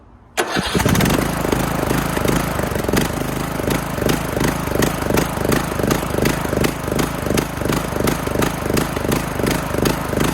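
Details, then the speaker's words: Craftsman LT2000 mower single-cylinder engine after new air filter, run directly off a battery, starter relay works: brief crank, catches at once, steady evenly firing chug with no misses or surging; runs healthy. "Well, she runs. She actually runs pretty good."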